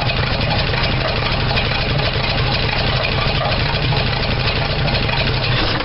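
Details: 1975 Dodge D100 Slant 6, open exhaust, misfiring while timing is advanced: uneven lumpy idle with faint irregular pops; owner suspects a burned valve or leak sucking air, and distributor one tooth off. Rough idle with popping.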